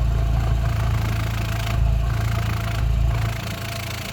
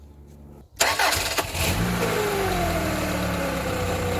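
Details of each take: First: Rover 45 Impression S3 CVT, slightly warm, heard at the exhaust after battery and earth checks: low, steady exhaust thump about four beats a second at idle, even and unbroken; drive plate suspected of rattling elsewhere; normal idle exhaust note. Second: Rover 45 Impression S3 CVT, started after the battery connections and earth points were checked. A quick crank catches, revs flare, then settle to a steady idle with light pulsing; sounds much better, but the noise and lurchy driving remain, so the problem is not solved.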